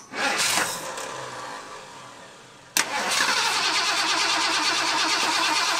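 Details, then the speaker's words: Flood-damaged 1978 Ford F150 that had water in the oil, after swapping in a cleaned carburetor with new accelerator pump and power valve gaskets. Uneven, lumpy run with a wavering beat; still rough, cause not found. "well I don't want to say it's worse but might not be any better"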